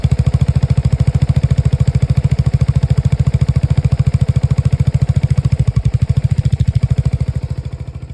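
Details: Lexmoto Nexus 125cc single-cylinder motorcycle at idle: uneven, stumbling beats with clatter, pulsing about three times a second. Diagnostics show faulty fuel-air mixture readings and a misfire count; misfire of unknown cause.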